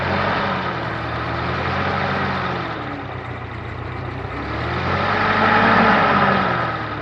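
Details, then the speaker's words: Fire-damaged 1952 Carloader 40-20 forklift's Continental F124 flathead engine, first start after carburetor set to factory specs, before warm-up: fires right up, low even drone rising and falling smoothly with throttle, little smoke; normal running. "well that certainly worked out well that sounds pretty darn good doesn't seem to blow a whole lot of smoke uh it certainly fired right up"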